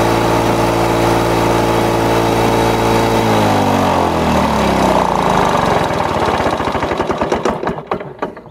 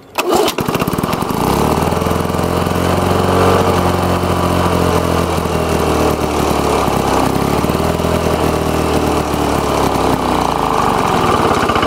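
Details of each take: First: Lawn-Boy two-stroke mower after air vane governor install: catches and settles into a steady, even buzz, perhaps 75-100 rpm fast; normal governed running. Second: Lawn-Boy two-stroke mower engine with air vane governor, set to high speed: even drone holding a low, lazy speed; governor spring tension too weak, fix is tightening the governor collar.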